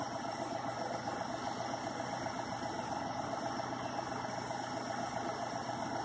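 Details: CPI engine being cranked on jumper cables from a truck with no battery connected. Even cranking at about four beats a second with no firing. Crank, no start; owner suspects the fuel pump is out, not confirmed.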